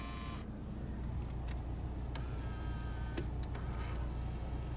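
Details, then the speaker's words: Original-owner 2004 Volvo V70 R AWD with a 6-speed manual: a faint, thin electric whirr in short bursts of about one second as the power mirror motors operate normally. "The mirrors all work. The motors work."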